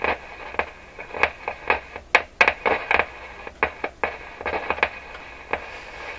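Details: Rogers 11RA651 shortwave tube radio: irregular sharp crackles and pops, several a second, through the hiss when a tube is moved; owner suspects a bad tube grid cap rather than a loose wire.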